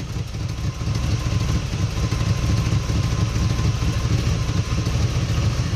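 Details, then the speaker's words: Holley 750 carburetor on a V8 warming up and smoking at idle: lumpy, hollow idle that firms up and evens out as the idle mixture screw is turned in; the engine was running rich. "so i'm back at a half turnout on this side and then we're gonna go back to one half turn and you're gonna hear a clear difference"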